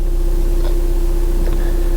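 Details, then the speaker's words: VW TDI diesel after engine mount replacement, started before refitting the belly pan: smooth, even idle with a steady low hum and no shake or knock. It had had progressively worsening vibration through the whole car and steering wheel, now "night and day" better. "Oh wow, okay. Much better. That's night and day different."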